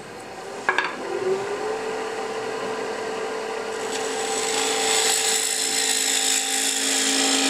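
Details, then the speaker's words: Hollowing a cigar ash tray bowl on the lathe: a steady cutting hiss rises to near 450 Hz as a thin high ring creeps in. The wall is getting thin and starting to vibrate. "You can hear that the bowl is starting to get a bit thinner because you can hear the vibration."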